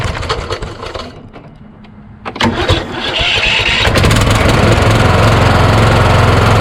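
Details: Craftsman YS4500 lawn tractor repowered with a Kohler Courage single, about 36°F cold morning: slow, labored cranking with pauses and clicks, then it catches into a steady thump; starter drags at the compression stroke despite double shims added to the starter mount.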